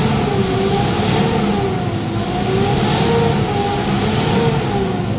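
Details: Mitsubishi Montero revved to about 4,000 rpm after replacing a slipping belt and a worn, too-soft auto tensioner. The whistle it made there before had been suspected as a turbo hose or EGR leak. Now a steady roar with no whistle: fixed.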